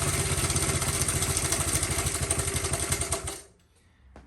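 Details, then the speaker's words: Honda CT70 after rebuild and new ignition switch, running on a jumper wire with no battery and its smoking issue cleared: quick, even putt-putt idle from the small single with no misses, then a clean shut-off; running fine. "and I think it might pump a little bit at first start up but it seems to have you know come into it"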